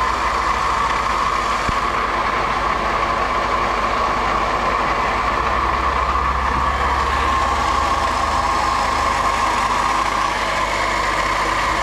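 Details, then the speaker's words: Honda Accord Euro CL9 idling, listened with a stick near the wobbly water pump beside a new alternator: thin steady metal-to-metal whine; water pump bearing noise. "so this is the water pump problem see that noise from from closer from here here not that much noise but here you can hear more metal to metal"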